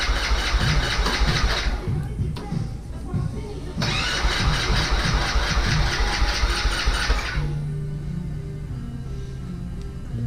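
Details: Vader 125 Grom-clone carbureted bike, first start attempt with choke up, compression present and fuel pressure felt: two long bursts of steady starter churning that never catch. Crank no-start, cause not confirmed.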